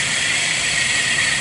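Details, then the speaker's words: Engine at the serpentine belt drive: a steady high whine, even in pitch; suspected idler or tensioner pulley bearing, possibly the alternator or AC compressor, not confirmed, before the belt and pulley change. Accessory drive whine. "I've had two amateurs looked at it and we all decided exact pulley right here it almost sounds like a a alternator noise"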